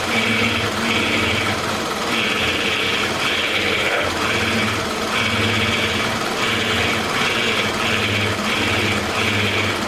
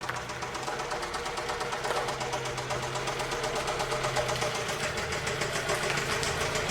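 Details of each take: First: 2006 Toyota Camry 2.4L, replacement for a knocking high-mileage engine, first run after swap: steady, even running with a regular pulsing note, no knock or rattle, no leaks underneath; brief initial rattle blamed on oil still circulating; sounds healthy. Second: 2006 Toyota Camry 2.4L: steady metallic knock about four per second over a rough idle; engine is being replaced for knocking, exact cause unconfirmed, and it was cut off to avoid locking up.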